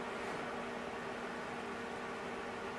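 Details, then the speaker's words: Aruba Instant On 1930 24-port PoE switch with four 10G SFP ports, a few days old, on the stock fan before a resistor fan mod. Steady airy whoosh with a thin constant whine, metered at about 58.59 dB: loud cooling fan. "it sits at about 58.59 db which is quite annoying i couldn't live with this in my room or in my rack"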